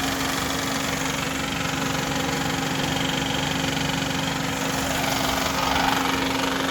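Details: 2010 Honda Civic 1.8 L idling with a constant loose rattle and a steady hum, caused by a broken accessory belt tensioner pulley; the noise started suddenly after a new AC compressor was fitted.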